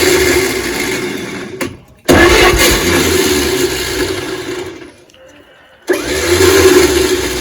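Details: 1938 Chevrolet Master Deluxe sitting since the early 1970s, weak starter, battery on an old charger: cranking bursts with gaps, barks briefly each try but never holds an idle; fires briefly but won't keep running.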